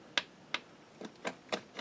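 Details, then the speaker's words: Singer 620 Touch & Sew main drive shaft after gear replacement, shaft rocked by hand: sharp light ticks about every quarter second as teeth tap through small intended free play; gear mesh correct, normal backlash. "That's the other part of it bouncing off the other."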